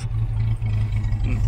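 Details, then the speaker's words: 1976 Datsun 620 Chinook poptop camper, carburetor needing rebuild and tank needing cleaning, tends to stall: low lumpy idle with uneven beat and brief sag once choke kicks in; rough idle on choke. "now you can see that uh the choke kicked in and now you can hear how it runs"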